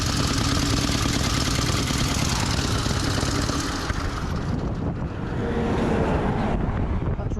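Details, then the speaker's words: V-twin motorcycle on a pre-1919 rally, rocker cover off after running badly: rough, uneven running with a loud irregular clatter from the front cylinder top end; something bad has happened inside, cause unknown. "rattling really badly from the front cylinder I think something bad's happened inside"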